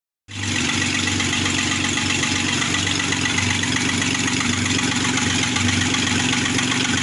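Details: Engine knocking at idle after rebuild; regular knock about four beats a second tracking engine speed, owner asks what it is, cause unknown.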